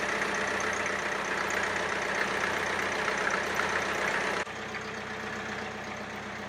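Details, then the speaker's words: International B276 tractor diesel after its annual service, tappet clearance adjustment and fuel system bleed, running without its exhaust silencer: loud, steady, even idle at about four beats per second; the earlier tappet noise is gone. "well as you can hear it's certainly sounding a lot better no we're not getting that tepid noise that we were getting before so that's fantastic news"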